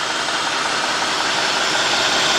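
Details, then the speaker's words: 2003 Cadillac DeVille 4.6 V8, warmed up, surging idle, codes P0300 P0171 P0174 P0101 P0404: loud steady airy hiss over a rough, unsteady idle, worsening in gear; suspected unmetered air leak. "You hear a little air? This is not that bad. I mean, I hear it's running a little rough."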